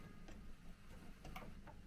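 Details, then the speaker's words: Dual 1209 turntable with built-in amplifier (HS50), with a non-original switch: quiet irregular ticks and clicks over faint low hum as the automatic changer acts on its own; worn auto-change mechanism needs an overhaul. "The automatic system appears to be. Oh, we got bad noises."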